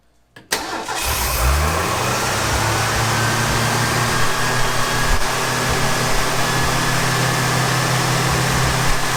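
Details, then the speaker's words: 1965 Ford F250, 300 six-cylinder, 4-speed, parked 17 years: catches and settles into an uneven, hunting idle with a rough low pulse. Owner suspects a lean mixture from a plugged idle/accelerator-pump circuit despite cleaning, or a large vacuum leak. "feeling we're not getting the right air fuel mixture like it's getting more air than fuel because the circuit's probably plugged somewhere which i don't know that could be i just cleaned it or maybe a giant vacuum leak that could be as well"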